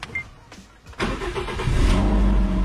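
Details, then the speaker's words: Car with replaced (used) ECU after original microprocessor failed: starter spins briefly, engine catches and settles into steady, even idle; check engine light now off; clean, healthy start. "Nah, oke dia sudah menyala dan bisa dilihat ya, Teman-teman ya, untuk indikator check engine-nya sudah enggak nyala lagi."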